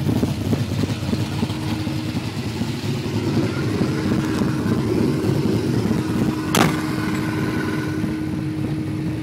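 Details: Holden Torana V8, 308 with B-cast heads and Crane 280 solid cam: loping, uneven idle with choppy exhaust beat and light valvetrain clatter; rough idle, cause not pinned down.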